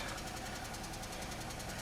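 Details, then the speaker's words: 2003 Pontiac Grand Am GT with coolant-contaminated oil and low coolant, still runs and drives: quick, even ticking over a quiet idle, nothing deeper underneath; suspected upper-end noise, likely not a rod knock, not confirmed. "That definitely sounds like upper end noise. I think that'd be a whole lot worse if it was a uh rod"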